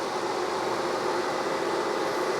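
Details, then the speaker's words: 1973 TVR 2500M during a wiring harness replacement, engine not running and dead cold: steady airy rush as the electric radiator fans switch on unexpectedly when a connection is screwed in; no burning smell, cause being investigated. "Okay, that scared me a little bit. The electric fan has turned on. That's not necessarily a bad thing."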